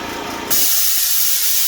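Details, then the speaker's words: Eastwood Elite QST 30/60 scroll air compressor after replacing the failed pressure switch, shutting off at about 140–145 psi: the motor stops, then a sharp, steady hiss as the unloader line vents. A normal air release. "That air you hear it's got an air line that releases pressure out of here."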